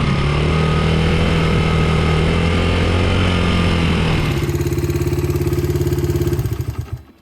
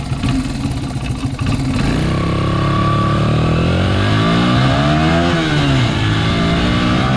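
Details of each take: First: Honda XR80R dirt bike, 80cc, GoPro strapped to side, riding on lawn: idles fine but at half throttle and above the engine revs then drops into slow uneven pulses and dies, bogging from an undersized carburetor main jet; fixed with correct Honda main jet. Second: Honda XR80R dirt bike, the good bike of an identical pair, on a 100-yard full-throttle run: strong engine note climbs smoothly and stays clean with no stumble or bog, with lots of power through the throttle. The problem bike had an undersized main jet.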